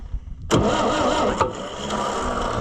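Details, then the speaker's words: Oliver 550 diesel tractor being revived, fed ether while cranking. It catches with a sharp burst and runs rough and unevenly on ether alone; there is still no fuel reaching the injectors. "fired, didn't you? Tried to run too, didn't you? Still no fuel though at the at the deals."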